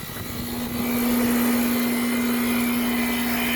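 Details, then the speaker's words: Old Goodman central heat pump outdoor unit, due to be replaced by inverter ductless units, in an earlier recording now starting and staying running: loud, steady low hum with a constant airy rush and no cycling; horribly, excessively noisy. "But anyway, you remember what it sounded like. I'll insert a clip of it. You'll virtually remember what it sounded like. It was horrible. This turd starts and stays running now."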